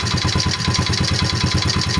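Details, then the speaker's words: 2003 Honda XR50R 50cc four-stroke, kick-started and idling. Fast, even ticking at about eight a second rides on the idle. Noise is suspected to come from the right-side transmission, clutch or crankshaft area rather than the valvetrain; cause not yet found. "see that ticking sound yeah you picking that up"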